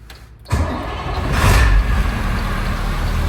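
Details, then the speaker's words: Figure-8 race school bus diesel, start check right after plugging in a Power Hungry Performance hydro chip programmer: quiet, then catches at once and settles into a steady, even low rumble, no misses or knocks; clean, healthy start. "Looks like we should be good. Let me make sure it starts."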